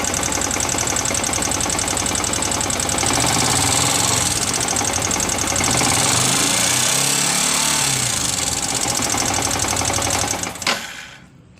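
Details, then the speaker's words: Yamaha R15 motorcycle engine idling with a rough, busy metallic clatter, loudest at the cylinder block and head; valve clearance set too tight has worn the valve stems and adjuster screws, causing valve-train tapping. "jadi seperti itu suaranya Suaranya terdengar dominan di bagian blok silinder dan Head Silinder ya"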